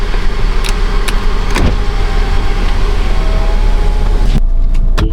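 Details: 2016 Hyundai Tucson on a test drive after sway bar link and rattling heat shield repair: steady low road rumble from inside, with no more rear suspension clunks or rattles.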